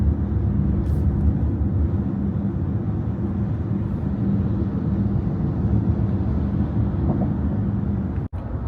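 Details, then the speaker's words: Voyah Dreamer luxury electric MPV at highway speed in the cabin: constant low roar with no motor tone, wind noise from the large MPV body plus tire noise from the road surface and not-quiet tires; the cabin is louder than expected. "uh but there's some kind of wind noise as well as the tire noise the tire noise is from the road the type of the you know the the road itself is creating some kind of noise but uh these tires as well they are not the the quietest and uh the cabin doesn't feel like as as quiet as it should be for this type of car"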